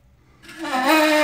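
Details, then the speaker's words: 1990 OMC Cobra 5.8 L (Volvo Penta SX) marine engine, front disassembled chasing noise: water pump spun by hand gives rough rising squeal with metal-on-metal grinding, the worst bearing heard; water pump bearing failure, alternator bearings also going. "I'm going to say that's not normal so we've got a combination of metal grinding metal sounds and to give my viewers an idea here this is probably the worst sounding bearing I've ever heard"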